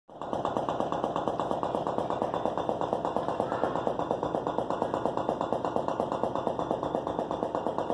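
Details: Whirlpool Gold refrigerator gives a rapid, steady, evenly beating knocking like a fast tapping rattle; it happens periodically, the cause is unknown, and it stops when the doors are slammed.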